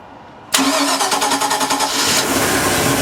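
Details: 2010 Bayliner 255 Cruiser, 5-litre V8 MPI, 260 hp, multi-point injection, heard from the engine bay: starter cranks briefly, the engine catches cleanly and settles into a steady, even idle with no knocks or misses; normal start.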